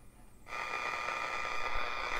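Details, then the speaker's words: Unisonic 6 band radio on shortwave with the 31-foot vertical antenna disconnected, volume turned up; hiss with faint steady whistle, static blamed on nearby electronics: computer, monitor and two HTs charging next to the radio. "Now, part of that is caused by all the electronics going on in my room right now. I've got the computer on, got the monitor on, actually charging 2 HTs right next to the radio."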